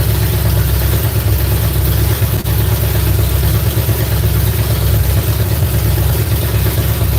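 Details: V8 on a newly fitted ignition box revs with a deep, lazy note that is heavy and slow to pick up. Flames were seen from one side when run up; ignition timing is suspected to be off, not confirmed.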